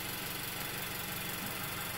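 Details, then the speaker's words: Car at idle recorded with piezoelectric mics above the radiator and on the other side of the engine bay, cooling fan occasionally on. Steady even idle with a soft regular pulse, no knocks or ticks: normal idle. "so and you're looking at just a representation of the noise of a normal running engine"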